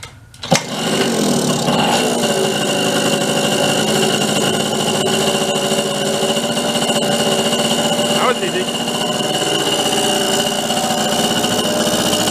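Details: Bridgestone Rockford Chibi vintage mini bike with a Briggs engine of about three and a half horsepower, kick-started with choke after dribbling fuel in; catches at once and settles into a steady, even buzz with no surging or misses; running right.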